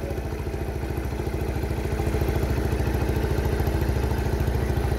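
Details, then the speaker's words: Honda Cub 78 70cc engine running with no throttle, a small single thumping about three and a half beats a second, even and smooth with no tapping from the cam/rocker top end; normal idle. "máy cực em nghe các bạn đầu cam cò không kêu nha"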